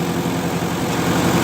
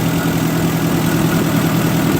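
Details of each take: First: 1958 Oliver 550 gasoline tractor idling indoors while adjusting distributor for a nice idle; fast idle with slightly uneven, hard-edged beat, ignition timing advanced too far. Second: 1958 Oliver 550 gasoline tractor after parts swapping, timing and carburetor idle screw adjusted: steady, even low idle with smooth unbroken rumble, no misses or knocks; normal idle.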